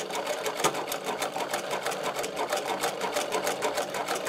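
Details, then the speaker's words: Servo-driven Podolsk sewing machine sewing three layers of leather about 6.25 mm thick; quick, even needle clatter about three stitches a second, unlabored: sewing normally. "А теперь я попробую три слоя. Толщина здесь 625."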